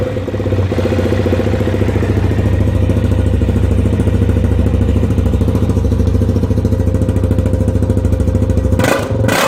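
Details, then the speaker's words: 2005 Suzuki LTZ 400 quad idling with busy metallic clatter from a stretched, worn cam chain; quiet after extending tensioner about 2 mm/replacing chain. "Stretched cam chain noise"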